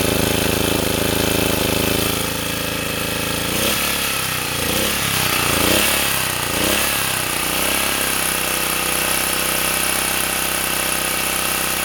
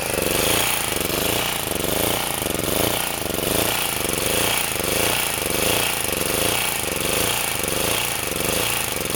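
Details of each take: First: Sportsman 2000-watt generator after tuning and adding a governor damping spring, loaded by a space heater at 750 and 1500 watts; even drone holding speed with no surging or cycling; governor now steady under load. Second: Sportsman 2000 W four-stroke generator under a 1500 W space-heater load, running on grass: governor is too sensitive, responds too violently and bogs the engine, so speed hunts up and down about once a second; generator surging.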